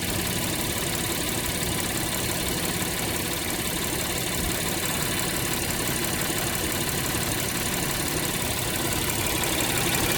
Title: 2019 acura MDX engine Noise after crankshaft change due to recall